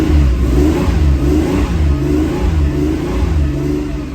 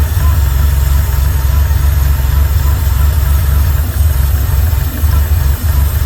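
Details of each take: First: 1979 Porsche 911SC after ignition restoration and CIS fuel distributor repair: revs held fast and slightly uneven with a wavering drone to clear fuel-wetted spark plugs. The mixture screw needed nearly a full turn. Fuel-fouled plugs. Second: 1979 Porsche 911SC after the CIS fuel distributor and ignition repair and a mixture-screw adjustment; a smooth, steady idle at 950 rpm with good oil pressure and no knocks, misses or hunting.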